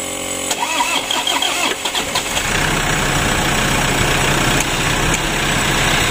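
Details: Toyota Innova diesel, hard to start: the starter churns for a couple of seconds before catching and settling to idle. Mechanic suspects slow cranking from a weak battery or starter motor.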